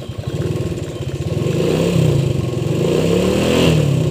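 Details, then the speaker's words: Restored Suzuki Shogun (stated as 2000, later 2004) small motorbike, kick-started: an uneven, lumpy putter that nearly stalls before a throttle blip, a rough idle. "Hai mesin sudah nyala digenjot ya teman-teman ya nah oh ini mau mati nih"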